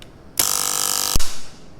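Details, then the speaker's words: RCD breaker wired with line and load sides reversed, under a leakage test: a harsh buzzing hum for under a second, then a sharp crack as it trips. The internal RCD circuit board failed and will no longer trip on test. "ครับเพื่อนๆจะได้ยินเสียงดังจากภายในเบรกเกอร์นะครับและเบรกเกอร์ก็จะตัดวงจรซึ่งตอนนี้นะครับแผงวงจรกันดูดภายในเบรกเกอร์นั้นพังแล้วครับ"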